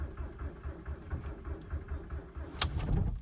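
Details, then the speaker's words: 2003 Jetta TDI (ALH diesel) at about -19 to -20°C with about 20% biodiesel, thick oil, weakening battery and pedal floored: a steady starter chug, then a couple of firing knocks that don't catch. No start; owner suspects biodiesel. "fired there again okay let's do two more go cycles and we'll call it a day"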